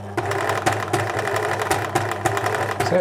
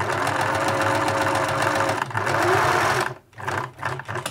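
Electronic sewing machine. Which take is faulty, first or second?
first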